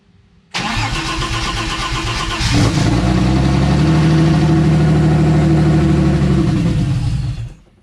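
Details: Turbo M52-swapped BMW E30, first start after engine install, fuel pressure turned down to about 25 psi: about two seconds cranking, catches cleanly, steady even idle, then shut off; no major leaks; normal start and idle.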